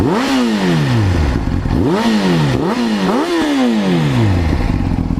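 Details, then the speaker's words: 2005 Honda CBR600RR inline-four warmed up: clean idle and blips rising and settling evenly, sounds fine; slight cam chain slap noticed only when cold, owner may tighten tensioner, possibly normal. "but i as far as like when it's warmed up and everything here take a listen sounds fine"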